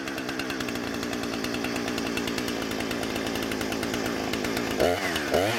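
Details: Husqvarna 455 Rancher chainsaw after an ignition coil replacement: it runs at steady high speed with a crisp, even two-stroke buzz and clean revs; it ran a full tank without stumbling.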